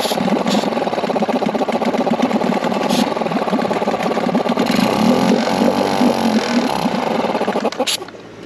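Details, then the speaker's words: 2001 Yamaha 5 hp two-stroke outboard, now taking 5–6 pulls to start, idling and dying: uneven popping about four a second, stumbling and fading; fuel starvation from a carburetor restriction, possibly debris clogging a jet. "Okay guys, so you can see the engine's dying. Keeping it alive."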